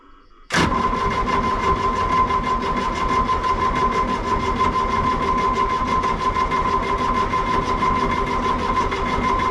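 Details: Excavator diesel after sitting a couple of months, fuel system had lost prime with air in it, no exhaust smoke: the starter spins evenly with a constant whine and no firing.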